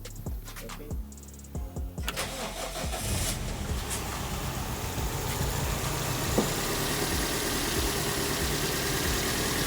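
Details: Car's first start after cambelt and water pump replacement: a few quick cranking turns, then catches cleanly and settles into an even, steady idle with no knocks or misses; starts fine.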